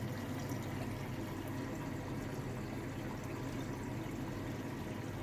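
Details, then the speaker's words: Samsung Ecobubble 8 kg washer on a short cycle after a fix that cleared the UC error: a soft steady hiss of water filling the tub over a low hum, no knocks. The machine still pauses later. "now it is providing water to the tank I want to see the the drum rotate"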